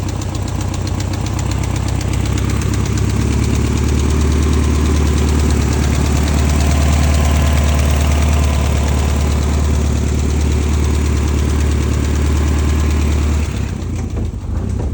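Steady idle with a fast, light tick riding over a heavy low hum; a top-end tick of unknown cause, possibly valvetrain.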